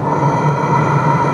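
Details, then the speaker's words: Chinese diesel heater in portable box, turned down from 26 to 8 °C by remote: steady low hum with fan whir and faint burner roar ramping down to minimum; normal low-setting operation. "you can hear it cooling down now because i've got it set for eight degrees celsius so the fan is slowing down and the burner and everything is slowing down so it'll just go to a minimum state"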